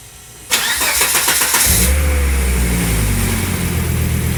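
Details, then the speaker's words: Volvo 850 T5 petrol engine started with the serpentine belt pinned loose cranks, catches and idles with no squeal, suggesting the belt-area noise is in the serpentine path. "Quiet as a mouse. Must be something in this serpentine path."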